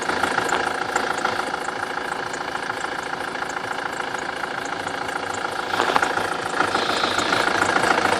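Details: BMW F25 (X3) with N47D20 diesel idling evenly: faint high chirpy whistle coming and going over it; accessory belt squeal at idle.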